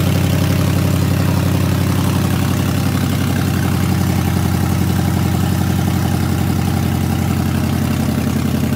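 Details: Stock Ford Coyote 5.0L V8 swap engine with 24K miles, PATS delete and new fuel pump, just fired up: deep, even, steady idle burble with smooth rhythm and no knocks or misses; runs cleanly.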